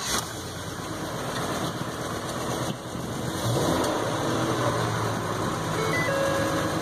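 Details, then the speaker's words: Ford F550 6.8 V10 interference engine, restarted after the misfire was traced to a fouled spark plug: steady, even idle with a smooth low rumble and no stumble or skip. It runs cleanly on all cylinders. "it sounds pretty good it sounds good all right so I'm pretty satisfied"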